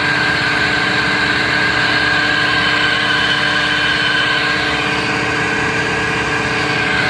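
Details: Rebuilt John Deere hydraulic pump on test bench, oil at 20 °C: 30 litres flow at 0 and at 200 bar with no loss, relief valve opens at 200; steady even whine and drive hum, no surging or rattle; healthy.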